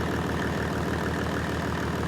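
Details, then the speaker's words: Mercedes OM606 diesel after injection pump calibration, warm at about 70°, idling with even steady clatter and regular firing pulses after an earlier stuck-injector misfire cleared; runs smoothly, no misses. "as you can see it comes down to idle no problem so as you can see it comes back down to idle no problem and it it runs absolutely beautifully"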